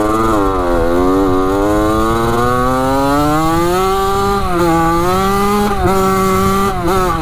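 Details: Rebuilt 1985 Yamaha YZ80 two-stroke dirt bike, warm, under load on its first ride: a crisp wail climbs and drops cleanly through the gears with no misfire or bog. The silencer is not working well. Normal running.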